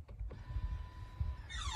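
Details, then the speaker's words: Toyota Noah electric parking brake pressed: steady motor whir for about a second then a quick falling whine, normal actuation, not a fault. "เสียงที่ว่ามาคือเสียงนี้ครับเสียงของเบรคมือไฟฟ้าเวลาเรากดนะ"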